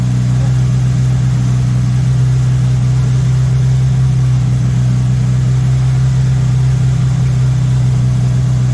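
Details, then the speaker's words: MK1 VW Rabbit with Weber 32/36 carburetor, no choke hooked up: loud, steady drone well above normal idle, around 2000 rpm, never settling; idle speed set too high, owner suspects an audible vacuum leak, later set to about 1100-1200 rpm. "so what i'm doing here is i'm messing with the screw this one right here and right now it's suddenly high so you're gonna push it this way"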